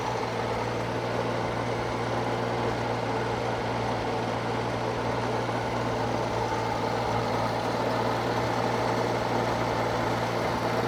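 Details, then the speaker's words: Circa-1952 Austin 6-cylinder petrol truck just revived after about 20 years standing: steady low idle, even settled beat, no ticking; normal idle, owner unsure of a slight miss, notes bad-smelling exhaust, hears no burnt valve, found a lead pulled from the distributor cap. "I may be able to hear a slight miss, I'm not sure, but that's just unbelievable. She's got bad breath, but that's expected."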